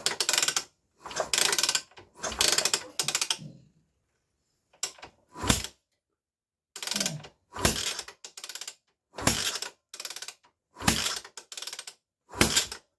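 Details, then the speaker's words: Scorpio motorcycle that died with suspected compression loss, kick-started with a finger over the spark plug hole: sharp, strong, even pops every second or two, hard enough to hurt the finger. Compression is good. "Untuk saat ini, kompresinya aman, kawan. Kami mengeceknya dengan menendangnya, dan kondisinya baik-baik saja. Tekanannya masih bagus."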